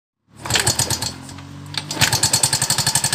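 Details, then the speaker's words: Yamaha Mio M3 scooter idling, rough and noisy at the head: sharp metallic clatter about four times a second from the cylinder head; worn rocker arm roller on the camshaft, quiet once fixed. "jelas kali bunyi itu berada di bagian head disini Saya yakin bunyi adalah bunyi Templar atau noken as beat"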